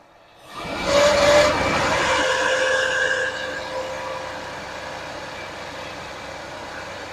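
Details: 1979 Lincoln Continental 400 V8, abandoned 32 years, first start on a rigged fuel system: a harsh, scraping whine stays steady over the idle; a screwdriver used as a stethoscope confirmed a failing smog pump bearing.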